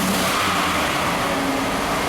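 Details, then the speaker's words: 2001 GMC Sierra V8 with Bank 1 misfires under load, all four O2 sensors unplugged to run in open loop, suspected common sensor ground fault: engine revs cleanly and freely with a strong, even exhaust note and no stumble. "Oh yeah, it wants to go. Alright, so with the sensors unplugged, the truck seems to be happier, but I want to take it on a test drive to see how it runs in open loop"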